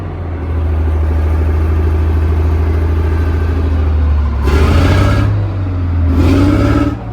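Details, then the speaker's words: British Chieftain Mk10 tank in Houston, its engine first judged a write-off: heavy steady low diesel drone, then two short throttle blips that pick up cleanly and settle back. Normal running before trying the gearbox; may be running out of fuel. "For an engine that we first considered a complete write-off, it was running very well."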